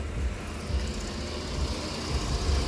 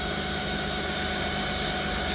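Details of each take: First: 2008 Jeep Grand Cherokee 4.7L 4x4 after a dead battery and fuse box smoke, idling once the defroster, AC and headlights are turned off: steady, even idle with a quiet low hum and no whine; charging side sounds healthy. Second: 2008 Jeep Grand Cherokee 4.7L 4x4 idling with a nearly fully charged battery under a carbon pile load of about 50 amps: steady high-pitched alternator whine, attributed to failed diodes.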